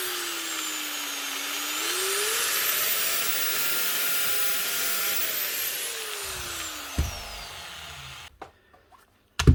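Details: Old angle grinder after its miswired plug was rewired properly: a high whine climbs, holds a steady pitch at full speed, then falls away as it coasts down; runs normally.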